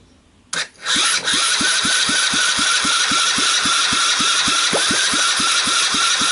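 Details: Seized 110cc Sunl ATV engine, freed up but not starting, fired on the bench with a carburetor, portable CDI ignition box, jump box and generous starting fluid; catches at once into a steady, even single-cylinder beat under a hissy top end, running normally.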